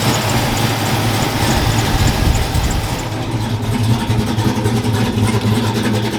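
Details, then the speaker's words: Truck V8 at first start-up after a misfire caused by a bad injector was fixed. No check engine light, oil pressure good. Deep, even, lopey idle burble with no skipped beats. Runs strong and smooth. "[Applause] like i said it sounds pretty good pretty mean it pulls pretty good"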